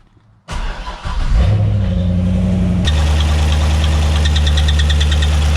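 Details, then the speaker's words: C6 Corvette at 100k miles, ticking while driving then squealing: started with valve covers off, fast light metallic ticking over low idle rumble; rocker arms look fine, owner suspects a lifter problem, not verifiable. "I can't see anything wrong with the rocket arms they look like they're working perfectly fine so I think it's going to be aing lifter problem"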